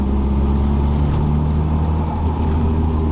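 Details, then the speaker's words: Nissan S13 Silvia/180SX (SR20DET/CA18DET) driveline drone in 4th gear at cruise, same RPM range; barely present in 1st–3rd and 5th; owner suspects backlash when 1:1 fourth gear matches engine and diff speed, after new driveshaft centre bearing; cause unconfirmed. "there you can hear the noise. If I go to fifth, so it appears only to be in fourth gear, which kind of makes my theory make sense, because fourth gear is 1-to-1."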